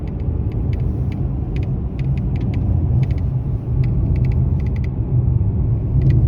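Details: Mercedes-Benz E-Class W213 under warranty, while driving: irregular light crackling, rattling ticks come and go over road rumble from the dashboard; intermittent, dealer unable to find cause after about 8 visits.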